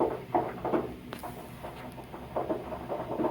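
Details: Residential hot water heater making popping noises: irregular soft pops and knocks, about three a second, from sediment boiling off the tank bottom. Fix would be to flush the tank.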